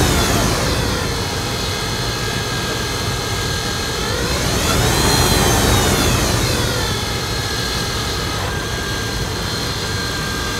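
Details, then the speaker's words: 2004 Dodge Ram 1500, engine running: thin steady whine rising with revs, heard and felt from the alternator, which doesn't spin freely with the belt off; bad alternator bearing, alternator replaced along with idler pulleys and tensioner. "I believe it's the alternator. I can hear it coming from the alternator. I can feel it. The vibration's not good."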